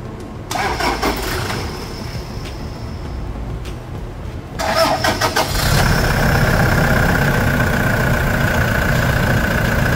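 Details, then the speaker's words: Black Toyota SW4 arriving for engine oil and filter change and automatic transmission fluid service: starter turns sluggishly in uneven pulses before the engine catches and idles; tired battery, slow cranking. "SW4 preta esse esse barulho foi bateria cansada Guerreiro como é que faz né O cara chega na oficina e a bateria arreia bater uns cinco dias aqui já né"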